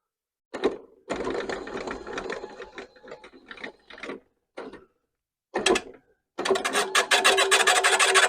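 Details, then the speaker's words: Einhell battery reel mower, drive removed, reel spun backwards by a drill with an 18 socket while abrasive paste is applied along the blade: stop-start scratchy, gritty rubbing of reel against bedknife during backlapping. "on va mettre de la pâte tout le long ici de la lame jusqu'à tempant qu'on entende un frottement"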